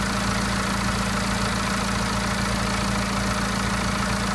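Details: BMW N47 diesel, 10,000 km after timing chain and intake replacement: at idle a steady low drone with an uneven, busy clatter on top; the source of the abnormal noise is unclear.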